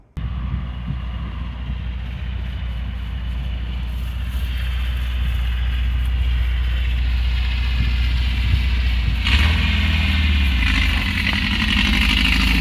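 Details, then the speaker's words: Dune buggy revived after sitting about a year and a half in a barn, fuel pump just primed. An uneven, loping beat under wind noise persists on a road test. It is a misfire from one dead cylinder; the number 4 plug wire was found loose and a wide-gapped plug is blamed. "So I said when I did this, I had a weird misfire. I just took it down the road and back, still same misfire. And when I was screwing with this fuel line, I found the spark plug wire for number 4 loose."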